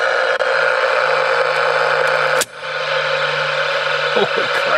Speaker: alright you can hear the line noise on this little portable AM radio I'm about to flip the main breaker off here at the house see if it changes